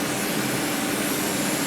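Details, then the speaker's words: 2010 Audi Q5 3.2 running with a hose in the intake, set up for CRC intake valve cleaner: a steady rushing hiss with a faint, even hum. Strong suction shows healthy engine vacuum. "if you can hear that it's got a good vacuum here"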